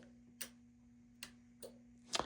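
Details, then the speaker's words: Mazda RX-7 Clarion PT-975C stereo amplifier with ground and jumped power, the logic side working but the EQ unpowered: four sharp, irregular clicks over a steady low electrical hum; amplifier relay clicking. "It's the logic side of this thing is working. Here we go. getting I hear the amp clicking."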